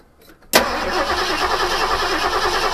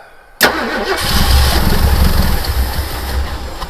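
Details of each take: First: Ford 1972 Gran Torino 351C, last run November 2021, just fitted with a remanufactured starter and given a little gas down the carburetor: the starter spins the engine at a steady chug but it never fires, a crank with no start. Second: 1972 Ford Gran Torino 351C, last run November 2021, with a new remanufactured starter and gas poured down the carburetor: a sharp catch, then a deep, lumpy V8 rumble; normal start on primed fuel.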